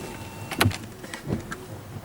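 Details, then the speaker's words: Newly replaced windscreen wiper blades sweep quietly with a soft thump at each end of travel and no squeak or chatter; the old blades squeaked because their rubber had gone hard with age. "right now let's see if these are nice and quiet all right so let's see if these are any better now turn it on ah there we go"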